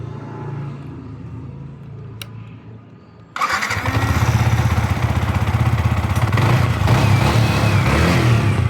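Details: On a Yamaha R15 V4 in a timing chain tensioner replacement job, it is quiet, then catches at once and settles into an even, steady idle around four pulses a second. The single is running smoothly.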